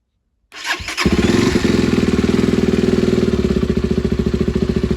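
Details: SWM RS125R two-stroke after a top-end rebuild with valves and timing reset, run briefly with coolant pipes unconnected: catches after a couple of cranks and settles into a crisp, even beat; timing now right, running sweet.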